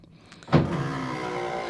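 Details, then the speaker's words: 1985 Chevy Silverado power window after new weather stripping and oiling the door internals: a steady, slightly rough motor buzz as the glass goes up; the window moves fine, cause unknown. "I oiled everything internally in the door and now the little electric motor is making that weird buzzing sound when it goes up but it goes up nice and it goes down well so"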